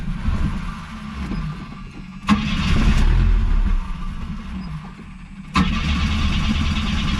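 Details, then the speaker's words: 1981 AMC Spirit four-cylinder, one owner, 42,000 miles, fuel tank drained and refilled: starter cranks evenly about four beats a second, never fires; long crank no start, owner thinks it's flooding. "just got to get the gas up to the car [Music] sounds like it's getting flooded"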